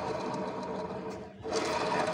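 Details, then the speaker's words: Honda Beat automatic scooter, rear wheel spun by hand: a dense, rough grinding rattle, also present when the scooter is pushed. A worn rear pulley bearing is the likely suspect. "saat motor didorong atau motor roda belakangnya diputar terdengar suara berisik ya suara kasar ya"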